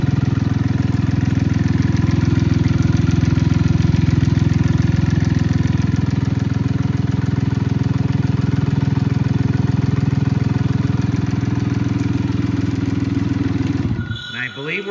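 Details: Cub Cadet Cyclops lawn tractor diesel after lift lever install and an oil check, oil light out. Steady, even low chug holds a constant idle for about fourteen seconds before shutdown, with no knocks or misses; normal healthy idle.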